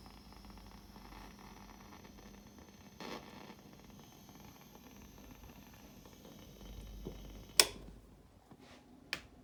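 A steady, quiet high-pitched hiss sits under everything with a few stray clicks; the amp is making noise, cause not identifiable by ear.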